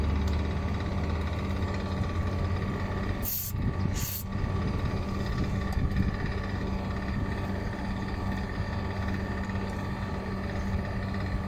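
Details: Water cooler fan motor with a bad bearing: constant low hum with a rough, gritty undertone as the small fan motor spins; worn motor bearing.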